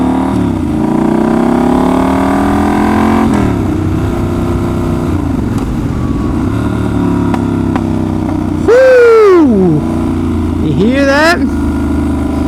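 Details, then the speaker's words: Triumph Scrambler 1200X with ECU flash tune: hard revs drop off and sharp pops crackle through the exhaust on closing throttle from hard acceleration to full decel; overrun popping, rider says running a little lean. "Now, technically backfire means it's running a little lean, but it only backfires when I go from like real acceleration to completely decel."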